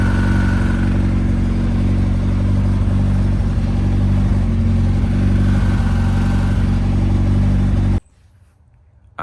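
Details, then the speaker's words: 1998 turbo Honda Civic after transmission replacement, low on fuel: rough buzzing drone with a whirring tone rising with revs, then cutting off; input shaft bearing suggested but looked fine, throwout and pilot bearings replaced and noise persisted; transmission noise, cause unknown. "she was a little rough I don't like that sound hold on"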